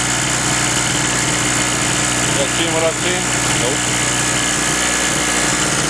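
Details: King Canada 950 W generator, 2 hp two-stroke on mixed fuel, after sitting a while, on retest: steady high-idle buzz holding speed evenly without surging or dying; normal running.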